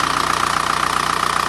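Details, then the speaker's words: Diesel at idle during injection pump repair, timing being adjusted: pump bumped away from timing belt, VCDS reading dropping from 10 toward a target near 3 (settled at 2.4). Fast even clatter with hard metallic edge, changing pitch. "Bumping it. And you can hear it change pitch. He wants to get it right around 3."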